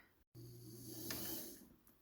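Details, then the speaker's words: 1977 Kenmore 158.19412 sewing machine after the motor was shimmied over and the belt realigned so the belt no longer rubs the plastic side cover: a soft, steady motor hum that rises and fades smoothly with no scraping. "No more rubbing."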